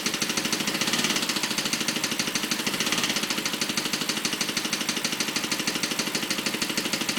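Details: BMW 545 petrol V8 at idle with a quick, steady clicking on top of the engine; cause unknown.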